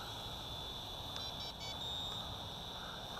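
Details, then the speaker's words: CheerWing CW4 camera quadcopter hovering with altitude hold: steady high rotor whine with a few short, high chirps as the trim is stepped, then settling; normal trim feedback. "let's see if I can trim it up to listen to the noise it makes as you trim"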